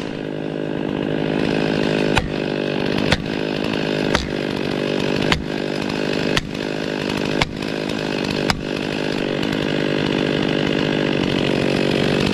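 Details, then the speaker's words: Brand-new stock chainsaw cutting through a 44-inch Norfolk pine base: high strained roar under load with short dips each second as it bogs and recovers; stock chain dull and labouring. "gs are too small stock chains dull that's okay that's how we've how we get how we get better"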